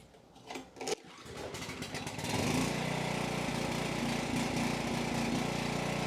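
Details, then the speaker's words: Coleman Powermate 6250 generator (PM0545007.01) with Briggs & Stratton GenPower 305 10 HP OHV engine, after tune-up and reassembly: pull start to a steady, even mid-pitched drone, no surging or misfire; runs well but wants a little choke, carb still not perfect. "All right, seemed to run pretty well. Seemed to want a little bit of choke, which is probably about as good as we're gonna get with this carb."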